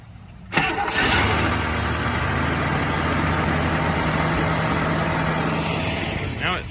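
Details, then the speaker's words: 1980 International Scout Rallye V8, sat 15 years, after fixing a poorly running carbureted engine: brief crank, catches at once and settles into a smooth, even idle with no misses or knocks; normal start and idle. "starts right up and sounds like a new car. It sounds like a sewing machine."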